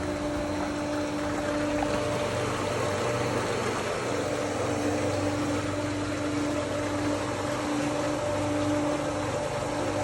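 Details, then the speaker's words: Motel pool pump/filter system set to vacuum, after bleeding air and repriming: steady motor hum with constant tone and rushing water; pump primed, water flowing normally. "You can hear it's starting to work. Water is running back through the pipes."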